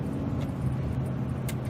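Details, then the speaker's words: Ford F-150/Expedition after vacuum leak fix and new IWE hub actuators, shifting from 2WD to 4WD while accelerating on the road: steady drive hum with no bang or clunk, engagement barely noticeable; smooth 4WD engagement. "and that was it that's how smooth it should be should almost be not even noticeable at all"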